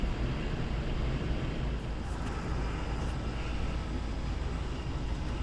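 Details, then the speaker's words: Goodman furnace after pressure switch fault repair, burner lit and status light solid: the blower fan runs with a steady low even rumble, no rattles, scraping or squeal; healthy, and all house heater vents deliver heat. "Wait for the heater to kick on, or the fan. There's the blower fan."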